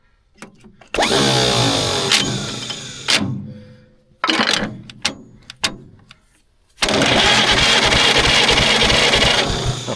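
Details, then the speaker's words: 1940s CAT D8 dozer, not moved in decades: the pony (starter) engine cranked over by its starter in bursts with a steady, even chuff of compression strokes, about three a second, so compression sounds even. "Oh yeah, buddy. The pony crank's over. Sounds like it's got even compression."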